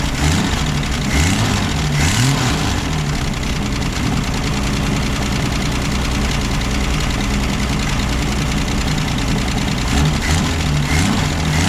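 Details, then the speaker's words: Ford Falcon revived after new points, condenser, cap, rotor and plugs, with a radiator leak: the engine idles a touch fast and steady with a slight tappety clatter; high idle with the choke line to the manifold disconnected. "so it'll crank up run idle i'd run a little high but the choke is also not hooked up"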